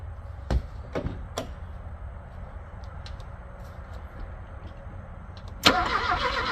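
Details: Abandoned Porsche 924 that had sat about 10 years and knocks when cranked: a few sharp clicks, then a rough burst that catches briefly and dies; it cranks and coughs but won't run. Cause not confirmed.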